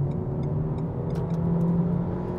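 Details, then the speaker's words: 2020 Renault Megane 1.3 TCe turbo petrol, accelerating again; smooth even pull with the engine note climbing steadily, slight turbo sound, no knocks or rattles. Normal healthy engine under acceleration. "Tekrar bastım. Evet, motor sesi de çok güzel."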